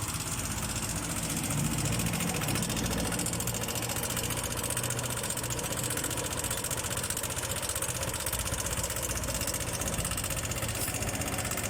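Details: Yamaha NMAX scooter engine at idle, noisy engine: steady fast knocking tick through busy mechanical sound.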